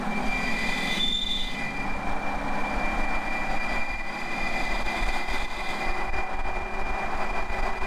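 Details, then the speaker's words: V8 TDI diesel overland project vehicle: a steady high-pitched whistle rides over a low diesel drone throughout, from the existing exhaust that whistles like mad; the cause is not established and the exhaust is to be removed in the workshop. "It's got a silly exhaust on it that whistles like mad. I'll put a video of what that sounds like."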